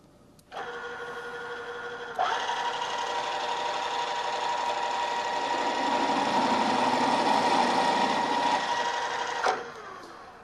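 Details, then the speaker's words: Drill press cutting with a half-inch bit while stepping up toward a one-inch hole. It hums, then a loud ringing chatter starts as the bit deflects and jumps from running too fast; it cut smoothly at lower speed. "could hear that noise it's called chattering and that's caused by the drill deflecting and jumping around the hole as it's coming in contact with a part this is usually an indication that I'm running the drill a little bit too fast"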